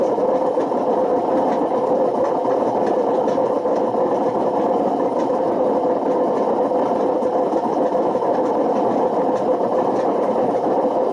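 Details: Washing machine spinning with badly worn drum bearings, a loud, constant mechanical rumble and whirr with no let-up; the failure has damaged the spider and worn the motor.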